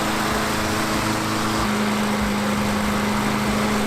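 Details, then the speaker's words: Free roadside mower after a tune-up with oil change; the drive system works. Steady drone holding an even pitch under background music, no misses or surging: normal smooth running. "I guess I would call that a success with the free mower just did a few maintenance items really nothing too crazy here at all and seems to work the drive system works"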